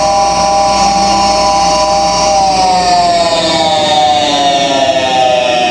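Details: Goodman furnace draft inducer exhaust blower: loud, shrill whirring whine, far noisier than normal.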